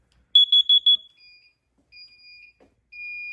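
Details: Fire alarm panel drill test: four quick shrill beeps, then longer steady high tones in a quiet room; horns sound on drill as they should, and a trouble condition came up afterward.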